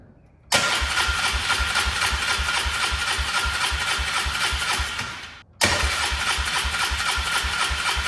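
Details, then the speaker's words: Polaris Trail Boss 325 four-stroke 2WD ATV parked for 12 years: two bursts of steady cranking at about four turns per second that never catch. At first no fuel flowed from the fuel line, and the carburetor is suspected clogged and not yet cleaned. "It would not run on normal gas. So, we put off the fuel line and no fuel is coming out."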